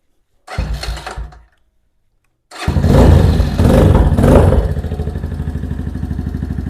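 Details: New Venom Ghost Chopper 250, started right after its first engine oil change with the oil on the full mark: a short crank that dies, a pause, then it fires, revs a few times and settles to an even, quick idle thump; normal.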